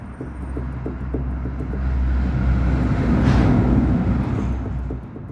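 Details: 2006 Chevrolet Celta 1.0: quick dull knocks, about three a second, as the front wheel is rocked by hand, from play in the inner tie rod on a manual steering rack.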